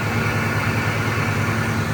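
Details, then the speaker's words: 2002 Ford F-150 Harley-Davidson edition, supercharged, cold engine: low even rumble with regular throb, no knocks or misses, some intake hiss; listening for supercharger whine; normal idle. "it's still cold so I'm not going to do any hard revving but I want to see if we can hear that supercharger in oh yeah oh she she's wonderful"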